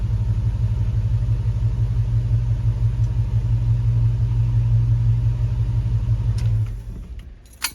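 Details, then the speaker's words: Grand Wagoneer with a Hemi V8 swap, idling after a new EGR tube O-ring replaced a torn one (suspected vacuum leak): deep, fairly even rumble with a faint lope, then shutdown; it sounds much better but still sets a multi-cylinder misfire code. "still showing a misfire but that sounds that engine sounds way better so whatever it is not bad okay so just showed us multi-cylinder misfire code which is kind of a bummer"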